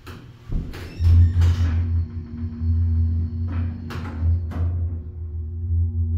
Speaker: This thing clunks a lot.